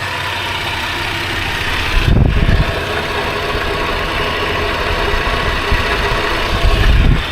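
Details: Toyota 80 Series Land Cruiser, hot after about half an hour of running, oil pressure 15 psi at idle: a steady, even low rumble with no knocks or misses. Normal warm idle.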